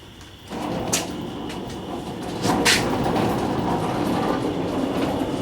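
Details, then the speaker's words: Lumber truck on lift with exploded transmission pushed to the end: loud rough rumbling whir from turning driveline with irregular metallic clanks, pushing out fluid; suspected noisy ring and pinion or its bearings, not confirmed. "so I would say that sounds like a very noisy ringing pinion or bearings connected to the ringing pinion or something along those lines"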